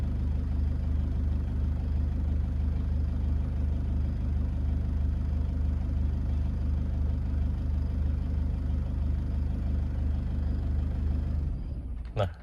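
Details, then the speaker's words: Toyota Innova 2KD diesel idles with a steady low chug for about eleven seconds, then sags and dies on its own; suspected SCV, fuel filter, fuel supply, sensor or weak pump. "Ini kalau kita biarkan dia lama-kelamaan mati sendiri. Kita biarin dulu."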